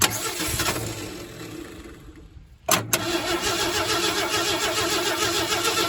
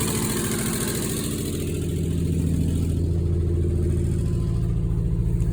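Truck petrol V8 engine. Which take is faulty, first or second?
first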